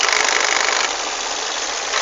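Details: Volvo S40 idling: harsh fast metallic rattle over the engine, attributed to a broken VVT wheel in the valve train.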